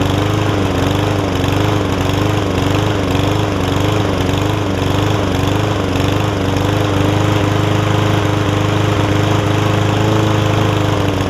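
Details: Yard Man front-wheel-drive self-propelled push mower with Powermore engine, long-sat, carb cleaned except the top jet, fresh gas, oil full but dark: steady, even drone at constant speed, no surging or hunting; runs smoothly.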